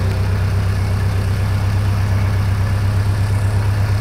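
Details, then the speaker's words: 1929 Ford Model A Roadster after fuel system replacement: smooth steady low rumble with even beat, no misses or knocks; sounds better, repair successful. "okay there's about halfway right there okay that sounds a little better sounds great"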